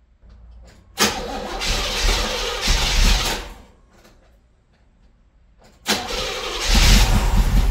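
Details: 1978 Monte Carlo, engine rebuilt 2004 with under 50 miles, sat months, new plug wires, gas pumped: first crank dies, second fires into rough idle; hard start, owner suspects fuel pump and carburettor needing rebuild.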